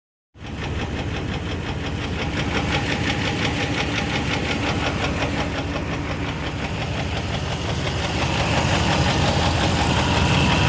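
Steady idle with a regular deep knock, roughly three per second, riding over the engine; sounds like a bottom-end knock, cause unconfirmed.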